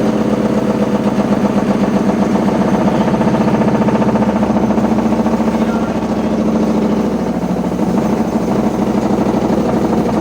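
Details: Washing machine with loud rumbling during operation: a steady droning rumble over a low, nearly constant hum, like a load of bricks inside; source not identified.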